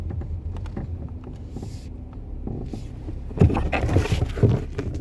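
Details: BMW 340i F31 xDrive, 12,000 km, phone in the left door pocket: dry creaks and groans at low speed, worse when turning, from the front left wheelhouse, worsening over time; cause unknown.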